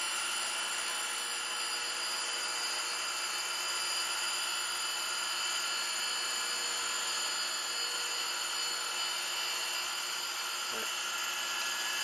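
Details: 100-grit Radiac grinding wheel grinding a pin about 0.140-0.150 inch diameter sticking out 1.8 inches without support: steady, even high-pitched hiss with no rising squeal or chatter. Smooth grinding without chatter.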